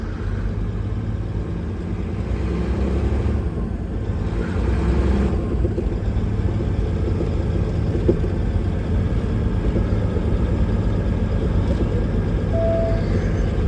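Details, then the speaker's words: Mack truck diesel after injector cups and injectors replaced (failed cups had filled engine with diesel): deep steady rumble with no knocks or misses as revs rise slightly, good oil pressure; running healthy. "that sounds good so far got good oil pressure"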